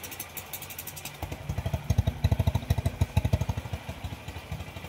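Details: TMX Supremo 150 single at idle after repair for a tapping noise: a regular thump of about three beats a second, rising briefly with throttle, with no ticking; the noise is gone.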